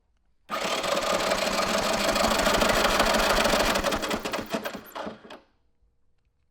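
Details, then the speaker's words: 1983 Honda ATC 200E 200cc three-wheeler, new battery: fast even starter cranking for about five seconds that never catches; no spark at plug or plug wire, CDI or coil suspected, traced to bad ground. "here we took the plug out and cranked it over no spark from the spark plug we took the plug off of the plug wire stuck a screwdriver in it still no spark so it's not the spark plug"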